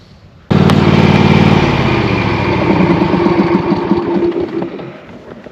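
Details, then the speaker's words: Riding mower with a Briggs & Stratton V-twin engine, started and idling. A light rattling whir comes from the pulley bearing on the electric PTO blade clutch. The noise stops when the blades are engaged and doesn't change with the transmission clutch. "as soon as I engage the blades the noise goes away and that's actually going to be the um bearing on the pulley on the elect"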